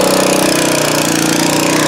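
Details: Nearly new Honda WB20XT water pump with GX120 single-cylinder engine, used twice, that would not start; after carburetor cleaning it idles with a fast, even beat and steady pitch, no misses or stumbles. Normal idle.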